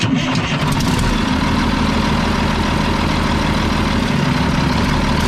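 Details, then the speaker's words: Mack tank truck diesel idling loud and rough-edged with a sharp chuffing rasp from a bad exhaust leak; a loose delivery valve may cause a miss, and fuel is leaking from a line near the injection pump. "Well, it sounds good. It's got a bad exhaust leak. Other than that, it sounds good."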